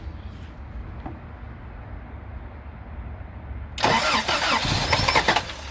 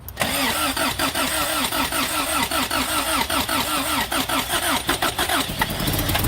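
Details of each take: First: 3rd gen Toyota pickup with fresh battery, cranks with compression but won't start: fires for about two seconds on sprayed carb cleaner then dies, so ignition works; fuel starvation from a fuel pump not running, to be replaced. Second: Third-gen Toyota pickup with no-start, fuel pump replaced, fuel misting from fitting needing tightening or copper washer: starter cranks briefly, engine catches and settles into steady even idle.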